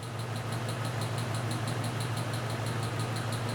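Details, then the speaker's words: 1995 Jeep at idle, steady beat about three per second with a recurring stumble; intermittent misfire traced on scope to an exhaust valve not seating, suspected debris, carbon or slightly worn spring. "here there it was again so what's causing that I have an exhaust valve that's not seating I have a little piece of junk or something in the seat either a slightly won't work worn spring or piece of carbon or something it's interfering right here on my exhaust slope"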